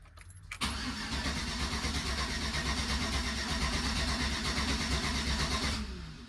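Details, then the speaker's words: 2013 Chevy Tahoe 5.3 LS V8; the starter turns the engine over rhythmically for about five seconds and the tachometer bounces, but it never fires or catches and the fuel pump isn't heard at key-on: crank no start from no fuel pressure. "so what this vehicle will do is it the engine will crank over like it's going to try and start uh but the engine won't actually run"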